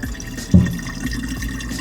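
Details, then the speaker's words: Samsung dishwasher DW80N3030US after installation, test cycle cancelled by holding start 3 seconds: low steady drain pump hum with water gurgling and a splash as it drains into the garbage disposal; normal drain. "So it's now canceled and it's draining. If you want to take a look here, you can see, because it's draining into my garbage disposal."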